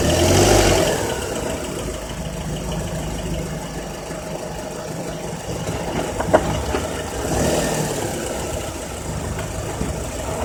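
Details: Honda Accord K24Z3 engine revving between 2200 and 3000 rpm with a light, loose rattle riding over the mid-range; rattle of unknown origin.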